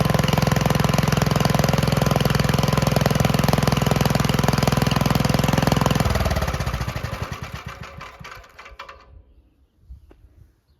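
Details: 1951 Gravely Model L single-cylinder garden tractor, on a replacement backup magneto after weak spark, thumps evenly at about three beats a second, runs smoothly, then winds down and stops; the engine sounds healthy.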